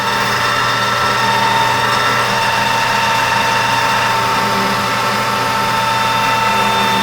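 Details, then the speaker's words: Newly reassembled 1988 Rutland lathe taking a roughing cut on a 1/8-scale steam wagon axle shaft blank between chuck and center with new insert tooling, about 0.025 in depth; steady even whine and cutting hiss, no chatter, cut handled fine. "That's handling pretty good. Let's add another 25."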